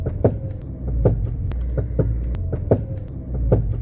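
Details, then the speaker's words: Car cornering on the road: low rhythmic knocks roughly every 0.8 seconds over steady road rumble, a CV joint clicking when turning that can lock the wheel if it fails. "Esse toque toque ritmado quando você faz curvas é a homocinética gritando, eu não quero morrer e adivinha?"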